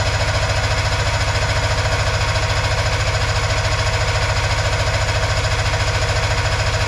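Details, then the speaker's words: Arctic Cat Puma Deluxe 340 snowmobile, sat about 10 years, carburetor just reinstalled; fast even cranking without catching; plugs wet, likely from priming; owner plans to fill float bowl. "Give it some more help, I guess. Ooh, this plugs are wet, so maybe we got something happening. Probably from me priming this thing."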